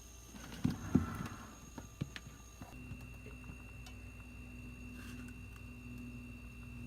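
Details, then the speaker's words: Haier 10.1 fridge in a camper that wasn't cooling and only clicked, tested after a repair attempt; a few clicks, then the compressor starts with a faint, steady low hum and runs normally, sounding like a fridge again. "that's a lot more noise than it made before it would just click before it sounds like a fridge now"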